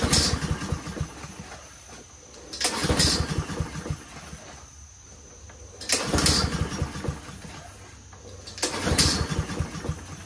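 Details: Troy-Bilt 21-inch front self-propelled mower with Honda engine, on choke with fuel flowing: repeated pull-start cranking bursts about every three seconds, never catching; no-start.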